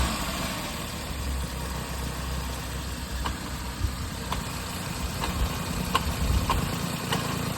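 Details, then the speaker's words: Maruti Suzuki Alto with discharged battery, started by tow, idling: light uneven ticking and whirr over the low drone from the clutch release bearing, noise stops when clutch is pressed and returns when released; clutch release bearing noise. "्टार्ट करने के बाद इसमें कुछ आवाज आ रही है भाई और वो आवाज है रिलीज बेरिंग के अंदर से। क्लच दबाने पे बंद हो रही है वो कलश छोड़ने पे आवाज आ रही है।"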